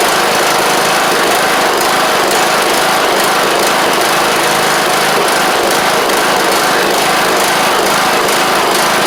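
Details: John Deere LA100 riding mower, long-sat, valves adjusted to fix hard starting: an even, high-pitched single-cylinder buzz holding steady speed, running smoothly. Owner suspects a failed spark plug and expects more run time to improve it.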